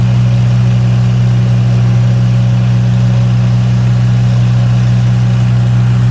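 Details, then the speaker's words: 35 kW liquid-cooled standby generator, warmed up with exhaust red hot, carrying the 5-ton and 3.5-ton air conditioners, load probably about 12 kW. Loud, steady deep drone with a strong low hum, no knocks or surging. Normal running under load. "it certainly seems to be running nicely under load so that's really what we care about"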